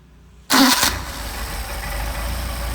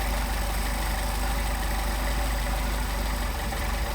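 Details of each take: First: Mercedes 190SL with rebuilt Solex 44PHH carburetors, hot restart after warm-up and idle set to about 725–750 rpm: quick crank, catches at once, settles into an even, solid idle with no stumble or backfire; normal hot restart. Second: Mercedes 190SL with Solex 44PHH carburetors idling around 550–575 rpm while idle mixture screws are adjusted: deep, even rumble sags as mixture goes too lean, then picks back up about 100 rpm.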